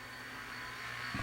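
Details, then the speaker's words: Panasonic DVD-RP56 spindle motor driven directly at 4 volts from a bench power supply, disconnected from circuit: thin high whine over a faint rough rasp swelling near the end; bearings worn, motor shot. "oh listen to the bearings they're not in good shape that motor is shot"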